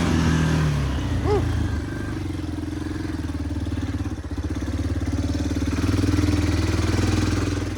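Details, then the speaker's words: Yamaha Big Bear 350 ATV on a night test ride, after replacing the trashed carburetor intake boot: single-cylinder thump idles evenly, rises and falls smoothly with throttle without stumbling; normal running with good power. "this thing has some power I'll give it that I mean it is a 350 it is a 100 times better with that new car boot"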